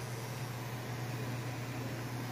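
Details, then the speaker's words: APC Smart-UPS 1500 sinewave inverter modified for about 1400 W output, on a 24 V battery at roughly 1432 W heater load: a steady low hum with a faint hiss. The battery connections are suspected to be straining, with 75 A constant current heating them. "now it is at 14 32 and she is humming you can hear these kind of that's actually the battery humming if you can hear that"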